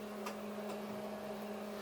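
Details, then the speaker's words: Kegland G20.1 glycol chiller crash-cooling about 80 litres of wort from 17.9 °C toward a 1 °C set point: steady low hum with an even fan whir, no rattles or surging; normal cooling cycle. "But in the meantime, everything seems to be working pretty well at the moment. I can hear that the fan is going, so it's definitely on a cooling cycle."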